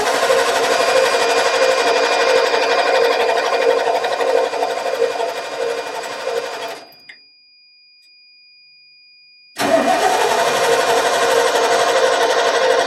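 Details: 1989 Ford F150, 61,000 miles, sat over 20 years: steady cranking about three turns a second, pause, more cranking, no catch. Cranks but won't start; owner suspects old fuel, considers starting fluid.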